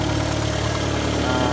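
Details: 2002 Mitsubishi Lancer, 2.0L SOHC 4G94, idling after head gasket replacement, with only a minor coolant seep that was there before. Steady, even, smooth low hum with no knocks, ticks or misses. Normal idle.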